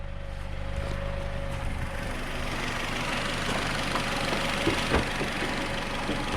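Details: Nissan Rogue after new spark plug and ignition coil install, multiple cylinder misfire code P0300, check engine light not yet on; uneven lumpy idle with irregular stumbles, misfiring at idle; later stalls on test drive.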